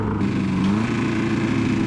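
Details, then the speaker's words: Toyota Corolla 3TC engine (KE70/TE72) idling: a steady drone with a faint, rapid low knock underneath; owner suspects rod knock, cause unconfirmed. "we're dropping oil pans i think i have some rodnock but it sounds like the engine's knocking"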